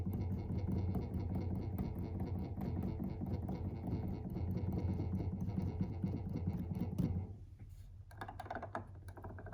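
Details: Native Instruments Komplete Kontrol S88 Mk2, under a month old. Rapid key strikes, mostly around C3–C5, each bring a dull rattling buzz as the 4D encoder knob vibrates. It is louder with the knob turned clockwise and softer counter-clockwise.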